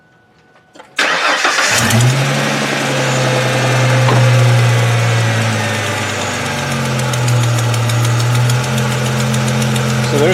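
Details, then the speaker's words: 2002 Ford Mustang convertible 3.8 V6, high mileage, restarted after Liqui-Moly engine flush and five-quart oil change: light fast tick still heard over idle; owner believes exhaust related, oil stabilizer and flush did not cure it. "tick again i believe that's exhaust related i don't know um i've tried oil stabilizer now i've tried liquor molly"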